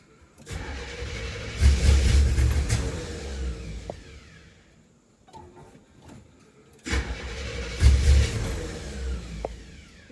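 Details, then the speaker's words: 1974 Camaro with a built 350 (mild cam, roller rockers, headers, new fuel tank): a long crank sputters, catches briefly, fades, then fires rough again. Fuel not yet pulled up to the carburettor; it floods easily. "I gotta be careful with this one because it's very easy to flood it out which will make it harder to start give me trouble starting okay it's coming to life a little bit"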